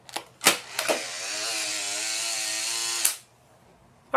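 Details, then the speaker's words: Polaroid SX-70 Model 1 instant camera tested with empty film pack: thin, labored two-second film drive motor whir, sluggish rather than crisp; motor very slow, needs refurbishing or replacement. "the camera does have signs of life as you guys can hear from the motor that's inside here sounds very very sad so that motor is very very slow"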